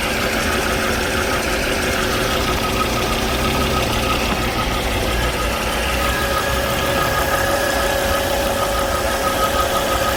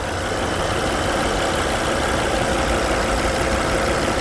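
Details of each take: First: Volvo C30 petrol engine idling with a thin, steady whistle riding over it, from a failed crankcase breather (PCV) valve; noise persisted through several earlier repairs. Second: Volvo C30 petrol engine after repair of a whistling noise: idle with a steady, even hum and no whistling remaining.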